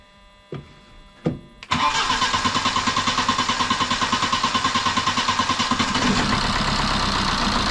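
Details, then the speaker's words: BMW 123d E81 N47 diesel after timing chain and tensioner replacement: couple of clicks, fires at once, even idle with no rattle or chain slap, no warning light; normal diesel start and idle. "bon tout va très bien pas de voyant je passe bien tout va très bien à part la caméra quelques planter mais bon c'est normal"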